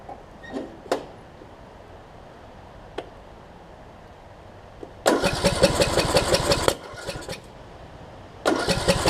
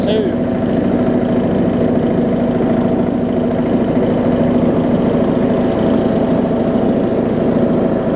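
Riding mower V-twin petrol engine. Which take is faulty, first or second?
first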